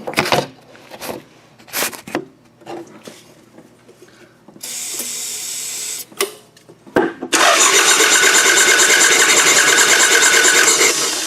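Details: Toyota Camry demolition derby car, weak starter tapped with hammer, spark confirmed: quick, even, too-free cranking with no firing even on quick start spray; timing belt snapped.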